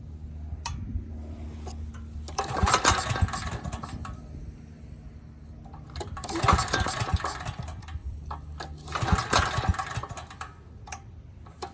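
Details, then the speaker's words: Neglected Briggs and Stratton Storm Responder generator run on an uncleaned carburetor fed through a temporary clear fuel line. The engine surges, revs swelling and sagging every 3-4 seconds; the owner hopes a carb cleaning bath will cure the surge. "so this really wasn't dirty hopefully that little cleaning a little bath will get that surge out of it"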